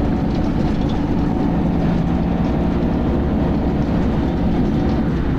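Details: Dennis Arrow bus (R443ULE) driving with a loud, coarse grinding rumble steadily under the engine drone.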